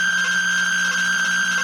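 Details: Atari Centipede cocktail arcade cabinet after reassembly, loud unbroken high buzzing tone over a low hum from the audio, even with pre-amplified PCB audio fed to the AR2 amp; caused by a shorted slam switch.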